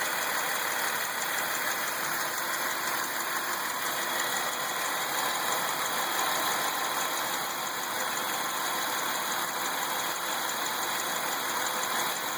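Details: Ecotec 3800 3.8 V6 in a 2003 Lumina at idle: light fast ticking with some high whine on top, possibly from the alternator; source of the tick not pinned down.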